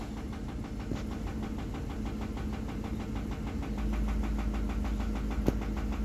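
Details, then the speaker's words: Ford F-150 11th generation, 5.4L Triton V8 on 5W-30 synthetic, started cold from 70°F and warming with no fan or shroud: sharp even tapping about three times a second at idle; knock with low hot oil pressure, rod knock suspected, not confirmed. "it should warm up pretty quick as there's no fan like I said no shroud but you can hear the knocking I don't know why but it's not as bad today but it just sounds bad"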